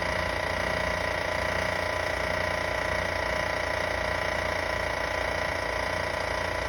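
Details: A van at a steady idle has a fairly regular light ticking, about two or three per second, over the engine note. The source is unclear.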